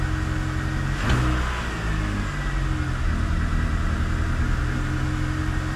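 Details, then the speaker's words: Engine with a poor oil analysis, before compression and leak-down tests: no timing-chain clatter, but after a quick rev it stumbles slightly and wavers as it settles back to idle. "même s'il y a des petits trucs bizarres il y a des petites hésitations là je sais pas si vous l'avez entendu"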